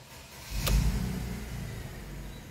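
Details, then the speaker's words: Mercedes-Benz SUV that had codes P0300, P2090 and P0353, started after the codes were cleared and none returned: it catches with a single thump and settles into a low, even rumble with no stumble or missing; no fault. "pues sé que desapareció pues que así sea así siga perdón y pues ahí está no hay falla"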